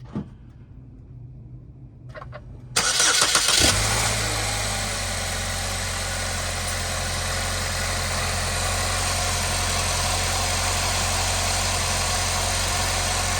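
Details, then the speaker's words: 2010–2017 Chevy Equinox/GMC Terrain after serpentine belt replacement, remote-started while watching the belt: starter cranks, engine settles into smooth steady idle with even belt whir, no squeal or chirp; normal. "All right, so everything looks good there, folks."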